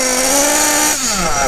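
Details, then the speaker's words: Kyosho-type nitro RC buggy (Bug TT8 RB One) with RB engine, warmed up, static full-throttle test: high buzzing note holds flat then sags and smokes, struggling to pick up revs; mixture too rich. "Donc là, on voit que le moteur est très gras. Il a du mal à prendre ses tours quand j'accélère."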